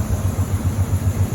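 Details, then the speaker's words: Monte Carlo at idle: deep, smooth, even V8 burble with steady low pulse, no knocks or ticks; healthy, quiet idle. "it definitely was not that quiet, and it just runs perfect."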